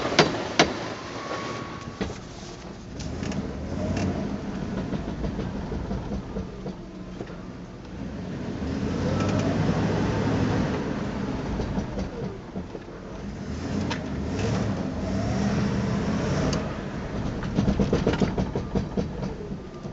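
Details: Car rolling along with sharp, irregular pops and clicks breaking through the rumble; scary popping noise from the front end.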